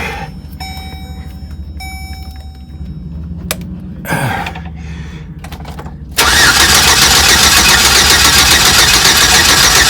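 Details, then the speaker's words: Chevrolet 4.3L Vortec V6 with P0301 code after engine work: starter cranks steadily at three to four beats a second but engine never catches; owner suspects top dead center timing or rotor position off. "well unless I have my timing off on my top dead center cuz that could be could be that the rotor is not exactly correct I I'm that's the only thing I can think that this that's why this is not starting she sounds like she wants too"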